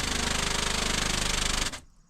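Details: Methanol injection pump on switch test mode feeding 2000cc nozzles, first run with dry empty lines: fast even buzzing pulse about eighteen beats a second, running steady then cutting off cleanly; pump working normally.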